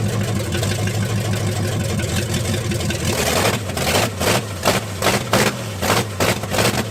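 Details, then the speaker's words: Cadillac big V8 after sitting neglected a few months, with new ignition and a used replacement carb (previous Holley was flooding), timing unchecked: smooth even burble at idle, clean sharp throttle blips with no stumble or knock; normal idle. "all right that's running with the new carb uh well newish carb it's the carb off the boys are sitting here actually"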